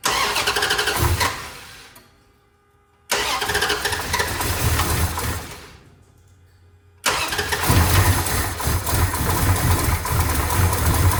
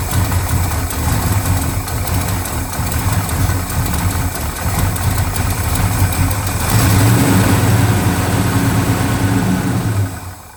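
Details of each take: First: 1970 Dodge Charger, new fuel hose and filter, 2 gallons in tank: two cranking bursts that die without catching, then rough rumbling run; not picking up fuel to the pump. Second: 1970 Dodge Charger V8, unstarted since about 2008, fires on fuel squirted from a bottle after old tank fuel was drained, running with a deep steady rumble for several seconds before fading as the primer runs out; runs normally.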